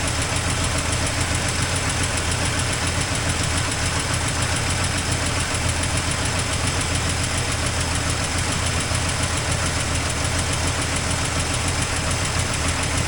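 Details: 1984 Toyota Land Cruiser FJ60 first run in many years: loud, uneven idle with irregular low thumping about three beats a second and a raspy edge, with an exhaust leak noted. Rough, cause unconfirmed.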